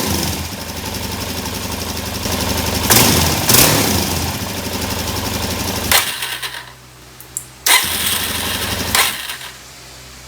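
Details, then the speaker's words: 2017 Suzuki DR-Z400 carbureted, jets suspected, fuel screw three turns out: sharp throttle snaps flare then die back to rough idle with a ragged knocking rattle; owner suspects jetting, new OEM jets planned, unconfirmed. "because you could hear this like knocking when you when you crank it like that and we don't want to do that too long"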